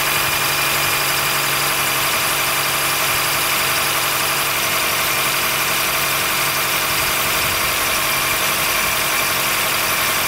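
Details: 2013 Honda Fit Hybrid (FIT3, DAA-GP5, L Package) idling in cold air below about 10°C; dense high-pitched scratchy squeal and creak, constant throughout. It fades after driving; dealer found no warnings and judged it harmless, source unknown.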